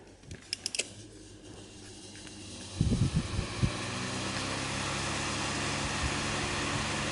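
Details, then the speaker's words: 2003 Honeywell chrome 12" all-metal desk fan RE-300E, about 20 years old, on low speed: a few clicks, then a steady low drone with a faint buzzing rattle; an irritating vibration noise of unclear cause. "you can hear that annoying vibrating sound that is irritating as hell"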